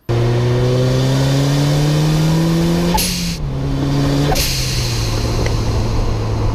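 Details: Turbo engine with a blow-off valve venting to atmosphere: revs climb, throttle snaps shut and a sharp hiss bursts out twice as boost vents cleanly.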